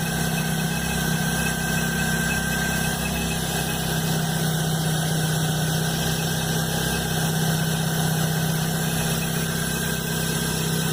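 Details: Chevrolet Blazer at cold-start idle, noise starting the morning after a mechanic replaced the timing belt and upper belt: steady drone with a constant high thin whine that doesn't change; source unknown.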